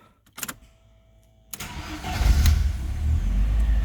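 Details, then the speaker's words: Ford Sierra RS Cosworth after four new injectors were fitted to cure a hot-start problem caused by leaky injectors dropping fuel pressure: a few clicks, then the engine fires almost instantly and settles to a steady idle, a normal quick start. "started up right away so let's have a look at the fuel pressure"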